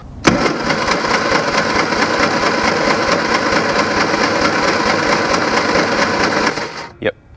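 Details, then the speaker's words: 1974 Leyland Mini 1098cc four-cylinder, plugs out, cranked at full throttle on compression test before rebuild for blowby and low power: steady cranking about two beats a second, soft uneven chug; cylinder reads about 45 psi, low compression. "Not looking good. 45 psi. Yep. We're about 45 on that one."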